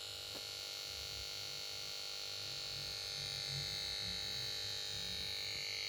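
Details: Samsung PS42A410C1XBT plasma TV won't start: goes to standby and plays melody when switched on, then only a steady high-pitched buzz and whine with faint low flutter from the power board; cause unclear.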